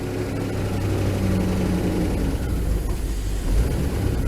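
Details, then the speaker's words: Van started after sitting through winter with the battery still good: deep, uneven, lumpy idle that wavers as if about to quit; rough idle, engine needs a spring overhaul, cause not identified. "Hear that? It's trying to die a little bit. I think it's running."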